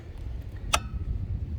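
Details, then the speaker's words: 2021 Jayco Redhawk 31F RV plugged into a 30 amp surge protector at the campsite: a single sharp relay click over low background rumble as the protector accepts the supply, meaning power is good. "you hear that click that's when you know you're good to go all right power is on in the rv and you can go ahead and turn off the generator if you have it on"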